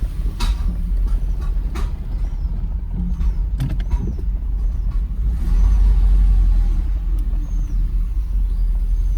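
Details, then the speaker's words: Mercedes SL500 on old gas at morning start (no fresh gas or Sea Foam yet), throttle being modulated: deep uneven lumpy chugging with surging revs, sounds like a tractor, wants to die; owner suspects the old gas, cause unconfirmed. "Gas just doesn't do it for this thing right now. It will run on it, but it's obviously not right. Sounds like a friggin' tractor."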